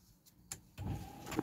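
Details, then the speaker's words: Rover 45 rebuilt wiper motor (Pektron unit suspected earlier): sharp relay click then motor whirs, clicking twice, working normally after previously not working. "it actually works it's clicking and working"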